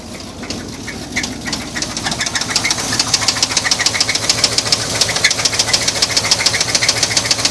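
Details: 1981 Chevy C10 truck engine running with a sharp, steady knock about 3.5 per second from the bottom end; owner suspects a spun bearing, not confirmed.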